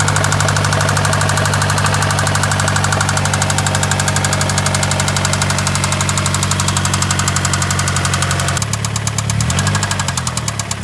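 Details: Mazdaspeed 3 with second cat deleted and a loud, droning exhaust: steady knock about four a second at idle and through a few revs, rod knock after the engine ran out of oil and spun a bearing or two.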